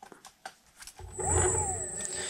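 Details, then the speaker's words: Xiaomi M365 electric scooter hub motor running normally on all three phases: soft steady high whine over a low hum, not too loud, no grinding or clicking; healthy reference before one phase is disconnected. "va bien c'est pas trop bruyant donc tout va bien"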